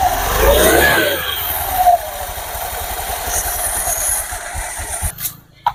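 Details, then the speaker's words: Honda Beat FI scooter after CVT service (rollers, belt, clutch housing cleaned), run with CVT cover off: revs snap up then settle into even steady running with no slipping or chatter; CVT working normally. "Oke ini sudah jalan inilah cara servis injsi big"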